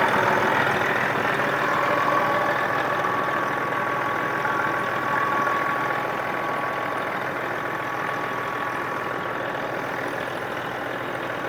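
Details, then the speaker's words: Circa 2000 Freightliner diesel truck, sat six years: steady even idle clatter with no misses or surging, oil pressure over 50 at idle; normal idle. "got great oil pressure here you know idling over 50."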